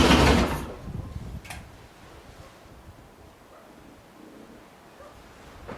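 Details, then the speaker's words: 2011 Harley-Davidson Heritage Softail with a fuel pump that primes and throws code B2119, with no fix from a replaced regulator housing. It cranks, catches for barely half a second, then dies. "the problem is that the fuel pump would prime and then you would start it would start for about maybe half a split second and then dies off"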